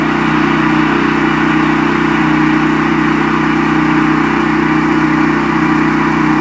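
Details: Brand-new Westinghouse WGEN9500 generator, restarted after its bad-gas surging was fixed: a steady hum holding one pitch with no surging or hunting. The governor holds speed evenly.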